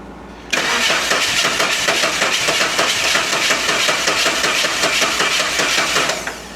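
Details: 1988 Saab 900 Turbo after replacing the Hall sensor and a 10-cent fix: starter whirs briefly, then the engine catches and settles into a steady, even idle; normal start.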